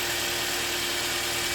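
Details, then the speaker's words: Engine idling after throttle body work while ECM relearns airflow: smooth, even idle with steady hiss, no misses, knocks or hunting; runs cleanly, road test still pending. "everything is clicking and Ticking like a Swiss watch of course it doesn't mean anything"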